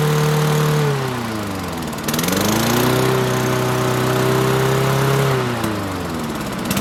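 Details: Toro Recycler mower with Tecumseh 6.5 single-cylinder engine: revs high, drops, then settles into steady even governed run; running properly.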